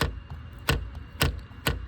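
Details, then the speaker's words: 15-year-old Maruti Suzuki A-Star, 40,000 km: sharp hollow plastic clicks about twice a second as the door inner trim panel is pushed, loose lining rattling against its mounts after impacts; door trim panel rattle. "धक्का मारना आवाज आ रही है। यह दरवाजे से हमारे पास और भी है यहां जांच करें।"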